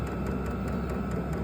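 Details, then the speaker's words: Vevor 8k 12-volt diesel heater, powered through an AC-to-DC converter during an open-box test: low steady engine-like hum with faint rapid soft ticking as the heater kicks on and starts normally. "so it says that it's on you can hear the machine kicking on right"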